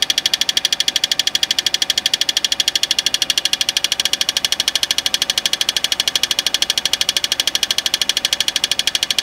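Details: 2005 Peugeot 206cc petrol engine at quiet idle with a sharp, very even ticking of several clicks a second; still the same after tightening the torque converter bolts.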